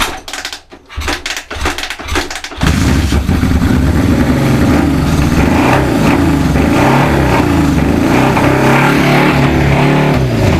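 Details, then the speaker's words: Suzuki GS550 four-cylinder cafe racer, first start attempts at night after fixing a shorting points wire and miswired ignition coils: uneven cranking, then it catches and runs rough briefly on hand-fed fuel. No petrol reaches the engine because the carburettors are not delivering. "It wants to start. gonna have to try and think why the carb's not working."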